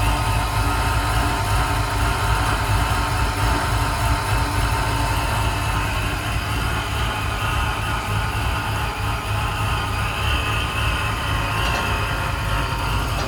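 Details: 1994 Impala with Vortec supercharger and torque head system, idling smoothly and quietly with a steady beat and good fuel pressure; normal idle after tracing an intermittent no-crank to a fuel pump that won't run.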